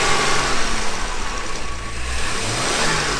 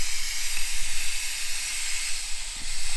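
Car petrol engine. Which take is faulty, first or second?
second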